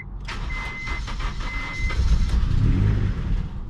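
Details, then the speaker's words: 1997-2001 first-gen Honda CR-V, first start on jump box after adding fuel and priming pump: starter churns rhythmically, engine nearly catches and surges but won't run; crank no-start, owner suspects snapped timing belt, unconfirmed. "Whew. Wanted to fire up. Prime this fuel pump a couple more times. Oh, that doesn't sound good. Sounds like our timing belt might have snapped."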